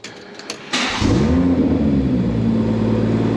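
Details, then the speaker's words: BMW 114i with swapped M140i engine, keyless start after refuelling: soft clicks, fires instantly into smooth steady idle; starts as it should; owner suspects faulty fuel sender showed quarter tank when empty. "it just starts straight up like exactly as it should"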